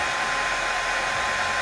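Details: Oster hair dryer that would not turn on, after repairing a short in its wiring, tested on normal current while measuring amperage: smooth, even rushing airflow with a steady motor hum, no cutting out or crackle; normal operation.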